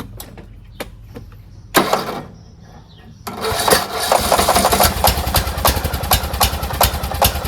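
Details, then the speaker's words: Craftsman T1600 lawn tractor after camshaft compression release replacement, valves redone: several short cranking bursts that fail to catch, then fires and runs steadily; reluctant to start, though it runs great once going. "Engine runs great, sounds great. It's just the beginning starting area. It didn't really want to go."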